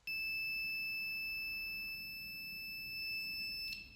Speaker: So once you set the range, touch the both probe and you will hear the beep